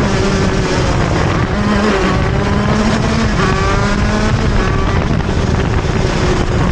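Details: TM Racing KZ-R1 two-stroke go-kart engine on track; high revs dip on turn exit, then climb back slowly and hesitantly rather than snapping up: engine bogs on acceleration out of corners.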